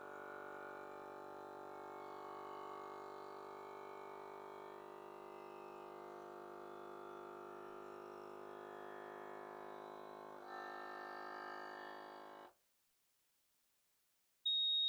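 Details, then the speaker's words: Avid Armor A100 Gen 2 suction vacuum sealer on accessory function, evacuating a sugar canister through a hose: steady pump hum for about twelve seconds, stops, then a single high beep marking a normal completed cycle. "all we have to do is press the accessory function on the A100 and this will automatically go through the vacuum cycle since when it's completely vacuum sealed, and then the machine will stop once it's finished."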